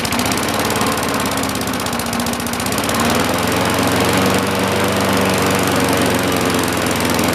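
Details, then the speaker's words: 1960-70s John Deere push mower saved from scrap, single-cylinder engine just started before an oil change: fast, steady putter with no stumbling or hunting; runs smoothly and evenly. "awesome we're gonna let it run for a while then we'll change the soil"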